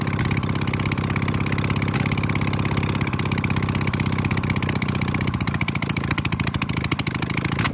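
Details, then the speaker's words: 1968 VW Baja Bug flat-four, barn-stored for decades, running on freshly hooked-up fuel with no exhaust fitted: a harsh, raspy idle with sharp chattering pulses, like a very loud lawnmower. A fuel leak from a loose carburetor top screw was found afterward. "That was strange. It sounds like a really loud lawnmower. Yeah, it does. It does. Let's put the exhaust on it because it's quite loud. I didn't know a VW engine could be so loud."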